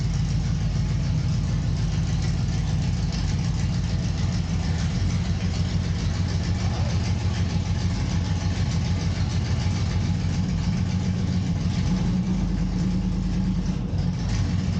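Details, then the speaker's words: Volvo semi truck after a vacuum leak was fixed: steady, low rumbling idle with an even beat and no hiss, stumble or hunting, sounding like a different cam; idling smoothly. "Since we fixed that vacuum leak, this thing really sounds like it's got a different camera."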